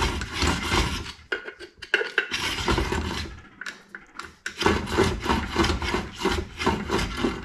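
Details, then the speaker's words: VW transaxle 6-volt bell housing being clearanced for a 12-volt flywheel, flywheel spun by hand after three rounds of grinding: uneven scraping rub, grinding in a couple of small spots on the housing. "we're just going to spin this thing you can hear it grinding just in a couple of small spots now so we should be should be getting pretty close to finishing this up"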